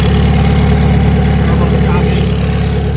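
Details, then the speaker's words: Honda K24 AWD Civic hatch with rebuilt motor and new turbo setup, first start with no downpipe: steady even low idle, about three and a half beats a second, no knocks; faint alternator belt squeak noted earlier; normal idle. "Everything sounds super smooth. You hear how smooth it sounds so good."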